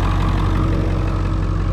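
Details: Ford 7.3 Powerstroke diesel with a hot no-start problem, running after an injection pressure regulator valve replacement and a cam sensor check. Deep, even diesel rumble with a steady rhythm and no misses or knocks; it idles cleanly.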